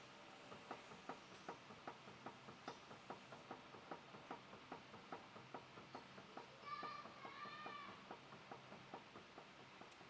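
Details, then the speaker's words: Toyota Innova Crysta steering ball joint rocked by hand: tuk-tuk clicks about two or three a second from play; worn tie rod ball joint, other bushes checked fine. "ഒന്നുകൂടെ check ചെയ്തേ ഇതിന്റെ steering ball ജോയിന്റെ ഭാഗത്ത് നിന്ന് ടക്ക് ടക്ക് സൗണ്ടും"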